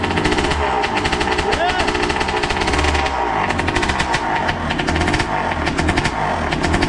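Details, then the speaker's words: Suzuki RM80 bored to 135cc two-stroke, after carburettor and jet cleaning cured its no-throttle cut-out, crackles with rapid sharp popping as it warms and takes throttle; rich oil mix, smoke calming; running freely now. "Oh, you hear that when it was warming up? That sounds nice. It sounds very dangerous, which is brilliant."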